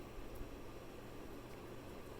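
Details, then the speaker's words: 1993 56-inch Super Brass Gulf Coast Tiara ceiling fan running in reverse: steady low hum with an even airy whir and faint glass-like rattle; bearings stiff, dry and worn, though airflow is still strong; worn fan bearing whir. "sounds like a glasses rattling or something like that but yeah those bearings are not the best"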